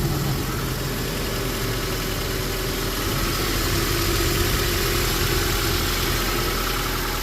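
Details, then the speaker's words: Cold start of a pickup after sitting all day; rough metallic chatter over the idle, a loud timing chain rattle despite an aftermarket tensioner and timing set. "That initial startup rattle is pretty crazy in this one. This does have an aftermarket tensioner and timing set in it."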